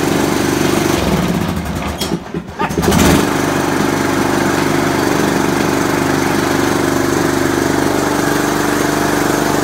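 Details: Old riding mower not started in many years, run after bypassing a faulty safety switch: cranks briefly, then catches and settles into a steady, even small-engine idle; starts and runs normally.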